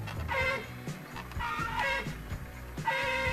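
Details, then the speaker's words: 2008 Nissan Versa horn, after wiring repair for repeatedly blowing fuse, before replacement: short blasts with thin, wavering tone that sags and strains like choking; horn failing. "You hear it? It sounds like it's choking."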